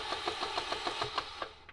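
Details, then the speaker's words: Auction K20A2 K-series engine from accident donor car, broken throttle position sensor, first start attempt: starter churns quick even chatter about seven beats a second, never catches; cranks but won't start, timing set suspected not timing properly. "That doesn't sound good at all. Go ahead. Huh. Okay. No bueno. This timing set is not timing properly."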